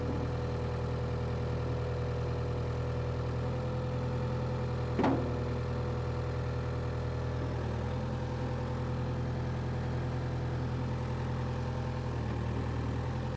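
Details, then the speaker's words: Power Trac 1850 diesel tractor after fluid changes, mower running: steady low diesel drone with even beat, no knocks or surging; normal running under load. "that's what I'm talking about we got it running got the mower on there she ran great and the mower ran great but the tractor ran great everything ran great"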